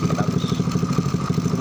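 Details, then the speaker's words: Honda Grand motorcycle after engine overhaul, worn leaking carburetor: steady single-cylinder putter at about eight beats a second; idle stays high even with idle screw turned right down, carburetor leaking badly. "Terus gas stasioner ini udah sertifikasinya juga posisi turun tapi masih banyak jika yang seperti itu udah cukup bocorannya banyak deh di sini"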